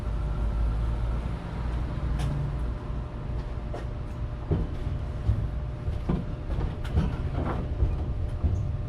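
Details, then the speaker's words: 1957 Ford F100 V8 running for the first time in about 20 years, choke off: loud raw low rumble with sharp popping crackles on open headers with no exhaust fitted, running steadily and well. "this is the first time this thing has ran in about 20 years and it's running pretty freaking good it sounds like cuz it doesn't have an exhaust"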